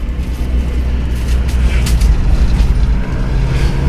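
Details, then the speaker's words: Isuzu Panther diesel after engine overhaul (mixed undersize bearings), on road test: heavy rumble under load with sharp harsh clatter; injection pump timing judged slightly too far advanced, to be retarded a little. "timing bospomnya agak terlalu maju menurut saya nanti agak kita turunkan sedikit ya daripada kurang"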